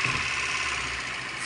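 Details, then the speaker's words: Kia CD5 after topping up the dry transmission gear oil (it had run out), idling: steady, even running with soft hiss, no whine, grind or knock from the gearbox; the earlier transmission noise is gone. "Ayan na po nawala na yung tunog kulang lang pala siel na wala"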